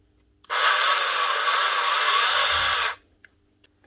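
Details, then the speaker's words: Dremel Multi Pro 395 rotary tool used for drywall: runs about two seconds with a harsh, rasping grind instead of a clean whir, squealing and losing power; motor bearings seized by drywall dust. "bearings are all seized up because of the drywall dust making it very difficult to turn"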